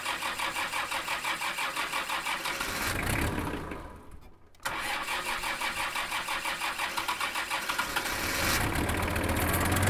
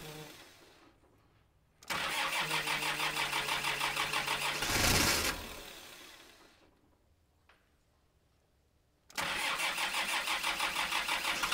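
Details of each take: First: Kubota M5700 tractor, 5-cylinder engine of almost 60 hp, just after fuel lift pump replacement: engine chugs unevenly, fades and dies, then cranks and catches again. It still stalls; the new lift pump didn't fix it, so fuel supply to the pump is suspected. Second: Kubota M5700 tractor, 5-cylinder diesel of almost 60 hp, after a stalling fix: fuel lift pump and filter replaced, tank obstruction cleared. It fires and runs at a steady, even beat without stumbling or cutting out. Healthy.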